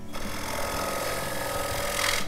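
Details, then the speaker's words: Wood turning on a lathe: steady buzzing, rough vibrating chatter as the thin wall far out from the spindle flexes under the tool, at risk of breaking through. "that chattering? It gets very thin there, and because it's so far out from the spindle, it starts to vibrate."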